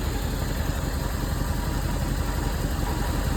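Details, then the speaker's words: Cold engine just started after sitting about a month, with a new battery: low, even idle thrum, slightly rough-edged from the cold, with no misfire or uneven beat. Normal cold idle; runs well. "she runs lovely. Right, let's just get her switched off. As I say, for what these engines are, you know, she does run well. She does run well. She's cold."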